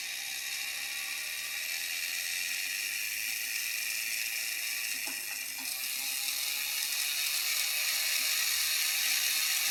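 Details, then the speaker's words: Bachmann model steam locomotive drive tested after a run-in: a steady high whir with fine, even ticking about four times a second, no grinding or gear chatter. The drive sounds good. "the drive actually sounds good doesn't sound like any years or bro"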